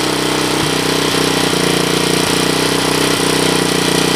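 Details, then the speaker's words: Suzuki DR200ES after fire damage, fitted with Honda ATC250ES clone carb, no air filter, started with jump box, about 22 °C: steady even single-cylinder putter at idle, no knocks or misses; healthy idle. "neutral white is on and you can actually see the gas kind of going down she don't sound too bad"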